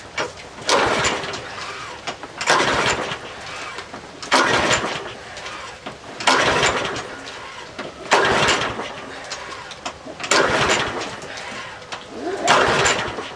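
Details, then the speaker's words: Troy-Bilt 12AV566N011 lawnmower with no primer and an automatic choke, history unknown: repeated rope pulls about every two seconds that never catch; the float bowl was overflowing, tapping it stopped it, and the carburetor is filthy with a sticking needle valve. "this one's got no primer on it those automatic choke deals this cord little gas and I think well it balls overflowing I tapped it with a screwdriver kind of stopped"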